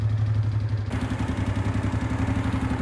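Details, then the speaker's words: 2005 Honda Deauville NT650V, 75,000 miles, warm after about 10 minutes idling, after the oil leak fix: steady idle, then the radiator cooling fan cuts in and runs smoothly and stops; cooling system works normally. "And now the fan has kicked in and stopped. So, it means the cooling works perfectly."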